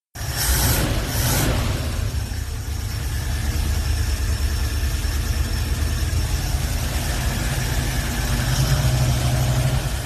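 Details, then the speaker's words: Older swapped-in V8 in a hot rod idles with a deep, even burble and no misses while the choke is being adjusted: normal idle, engine purring. "[Music] this thing's [Music] purring [Music]"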